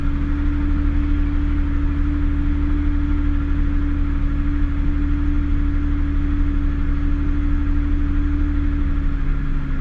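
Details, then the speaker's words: Cold-start fast idle on a Mazda Bravo B4000 that still warming up, settling steady and smooth with an even hum, just over normal idle; owner suspects the idle air control valve plunger isn't fully shutting, before replacing it. "it's idling just over well it is still warming up it's not quite warm yet"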